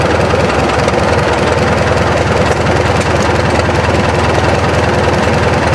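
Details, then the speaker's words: 1943 military generator set with 79 hours, started at idle after earlier running: loud, even, rapid unmuffled thumping about 200 beats a minute with no misses or knocks; idles smoothly and healthily. "I'm going to start it up it's going to be at idle um War I yes it is 1943 yep yep so it's again it's at idle it should start pretty readily"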